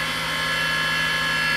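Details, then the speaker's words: Mini milling machine with 1 HP servo motor upgrade, motor at 1760, about 12,200 spindle rpm: high steady whine with uneven pulsing undertone; cutters out of balance at this speed. "I'm running at 1760 on the motor that's going to be about 12200 RPM you hear it there's spots in it where it goes out of balance"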